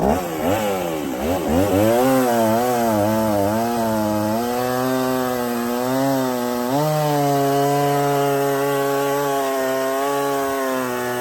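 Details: Stihl 024 chainsaw after carb tuning and aftermarket air filter, no choke, cutting firewood: steady high buzz that bogs slightly and recovers under load, no misfire; fuel line may be too short.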